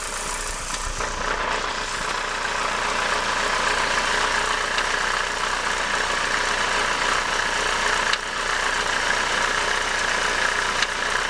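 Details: Renault 19 16V phase 1 F7P petrol engine idling with the alternator belt removed. It makes a constant raspy whirring hiss and faint irregular ticking from the timing belt area, an unexplained strange noise.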